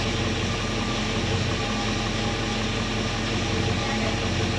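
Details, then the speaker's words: 1964 Chevelle V8 with Holley carburetor after carburetor cleaning, idling in gear at about 700 rpm: deep, steady idle with an even beat and no misses or stumbles; runs clean. "700 that's pretty happy 700 is a good RPM and it sounds good"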